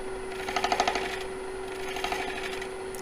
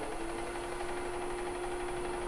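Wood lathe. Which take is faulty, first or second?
first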